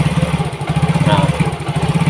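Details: Yamaha Mio GT fuel-injected scooter before injector replacement, throttle held because it dies when released: lumpy, uneven low putter with fast irregular pulses sagging and recovering near stall; clogged injector, mixture trim adding 7.7–7.8% up to 24.8%.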